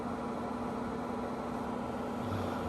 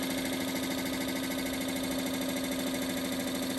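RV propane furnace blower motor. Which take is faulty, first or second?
second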